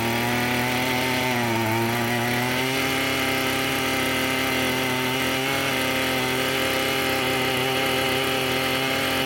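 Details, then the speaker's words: Echo SRM-210 two-stroke string trimmer after carburetor flushing, started on choke; buzzes high, dips and hunts, held up on part throttle; won't idle on its own, idle screw bent and set too low. "It won't run on idle. Looks like if I manually hold that idle up a little bit, it'll stay running."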